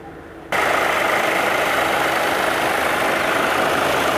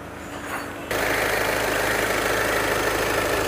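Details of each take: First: VW Jetta 2.0 TDI diesel, engine warm, AC off, codes P011700 and P218400: steady loud rushing whoosh kicks in abruptly over a quiet idle as both radiator fans run constantly at full speed. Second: VW Jetta 2.0 TDI diesel with a complaint of cooling fans running constantly (codes P011700, P218400): engine catches and settles into a steady, even idle with a smooth hiss, fans not roaring. Normal idle and normal fan operation.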